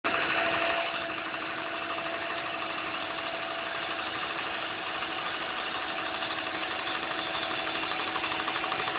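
Light, fast ticking at about three per second rides over a steady idle; it's valvetrain or injector tick, source unconfirmed.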